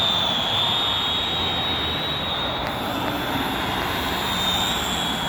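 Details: Holystone drone after bad motor replacement, tested outside: a steady, high-pitched whirr from the rotors holds even with no stutter or dropouts. The motors run normally.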